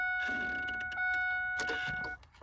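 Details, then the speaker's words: GM instrument cluster on a daily driver, before stepper motor replacement: faint fast ticking and buzzing as needles sweep, stuttering; fuel and temperature gauge stepper motors skipping, reading too high and colliding. "If you hear that, they're right up close there. You can hear it skipping, trying to go"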